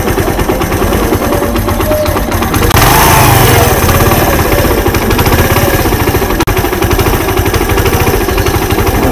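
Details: Suzuki Intruder 125 after sitting about a month and being hard to start: uneven, stumbling idle with irregular beats, dropouts and a rough rev blip, misfiring; owner suspects bad fuel and a dirty carburetor.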